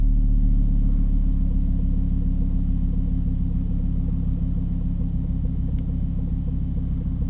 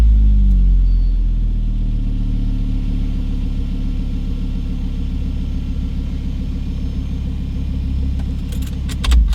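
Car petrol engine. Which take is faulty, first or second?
first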